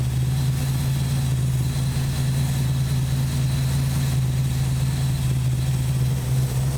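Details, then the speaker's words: 1968 Valiant ute with 318 V8, previously running rough and not starting, after carburetor mixture screws set to one and a half turns each side; deep steady burble at one even pitch, no stumbles or hunting; normal idle. "well it's running a lot better well it's actually running"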